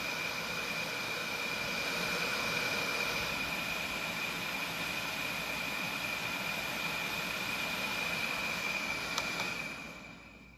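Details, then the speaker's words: Philips CPAP with original foam-filled air chamber, before swap to foam-free chamber, run at pressure setting 15: steady airy hiss with thin constant high whistle, no rattles or surging — normal blower running. "i'm going to try to change it to my setting real quick and turn it on so there's where my settings at at 15. really no difference in the sound"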